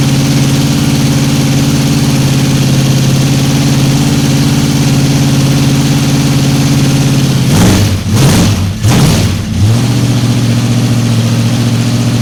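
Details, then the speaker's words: 1955 Chevy 210 Delray with a 265 V8: a steady, even low burble with a brief throttle blip and no knocks or misses; a slight lifter noise was noted. Normal idle. "Said idle. >> Sounds pretty good. >> Sounds pretty damn good to me."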